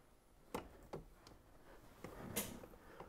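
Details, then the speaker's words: Nitrous Express purge and nitrous solenoids bench-tested with the engine off and ignition on, triggered at 1% throttle for a few seconds: a few crisp, sharp clicks as each solenoid snaps open and closed cleanly. A normal solenoid click. "first we're going to go ahead and test the purge solenoid everything sounds good there now for the nitrous solenoid"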